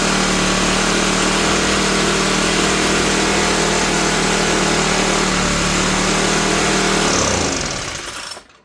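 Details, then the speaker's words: Cheap used Troy-Bilt four-stroke backpack blower that reportedly ran last year but not this year, just started on full choke: it screams at a high, steady pitch with no throttle response, running far too fast, then cuts and winds down. "I don't know how this throttle works, to tell you the honest truth. There's a thumb and a deal there. Seems like the engine's running too fast for some reason."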